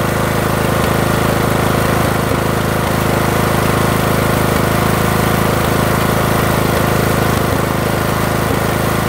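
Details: Briggs 18.5 engine: loud, steady small-engine chug with uneven thumps breaking the rhythm every second or so; runs rough and smokes.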